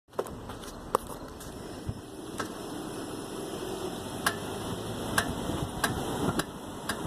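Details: 1999 Toyota Avalon after two new rear tires were mounted: irregular sharp ticks from rear driver's side wheel over low steady rumble; suspected brake noise, cause unknown.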